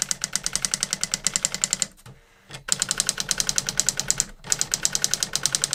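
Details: New-in-box circa-1985 Epson DX-10 printer printing a Windows 2000 generic text-only test page via printer port: fast even clatter, about six strikes a second, short pauses at carriage returns; worked perfectly, normal printing.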